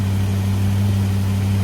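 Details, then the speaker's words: Warm big block Chevy running on a used lifter over a wiped-out flat tappet cam lobe, over 20 minutes in, good oil pressure, temperature at the thermostat; steady deep idle with a faint puffing from a small exhaust leak, no valvetrain noise. "You can hear the exhaust leak a little bit. There's absolutely no valve train noise."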